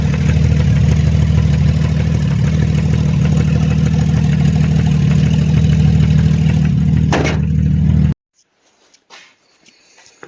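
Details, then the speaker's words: Subaru EZ30R engine swapped into an Impreza, running on a Haltech Elite 2500: deep steady running with a regular knock of roughly three per second until shut-off; internal engine knock, source unknown. "I don't know how well you could hear that, but that's a knock."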